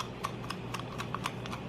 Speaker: clicking light so I think that might be part of my problem because I can't seem to get it and it's frustrating me